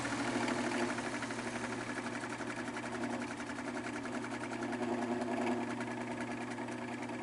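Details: Fan motor with very bad bearings running: steady hum with fast, even scratching tick as it spins up; owner suspects rotor pushes back against rear motor casing, rubbing on bearing, due to excess end play from a botched earlier disassembly (motor not yet opened).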